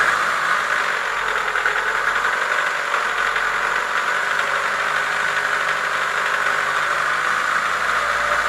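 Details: Chevrolet Lacetti 1.6 petrol engine idling with a dull, rapid knock over a thin mechanical clatter: worn piston knock, cured by boring the block and replacing the piston group.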